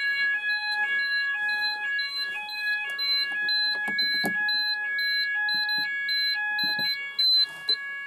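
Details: Apollo addressable fire alarm system test, landing detector on Zone 3 tripped: repeating high two-tone electronic sounder pattern, steady and loud, pulsing about twice a second; sounders working correctly.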